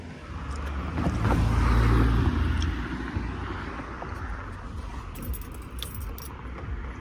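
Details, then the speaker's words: 2005 Mercedes CLS 320 CDI diesel at idle: steady knocking about four per second over a rough idle; owner suspects a rod bearing, unconfirmed. "Why am I getting these knocks on the engine? Like, I think it's the rod bearing."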